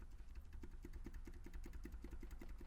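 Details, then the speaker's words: Spun connecting rod bearing on cylinder two of a Subaru BRZ FA20 engine, engine removed and torn down: quick, sharp metallic clacks about five a second as the loose rod is rocked by hand, while cylinder three's rod is solid. "that is our noise in this engine that is the fault with this engine we spun a rod bearing on cylinder two"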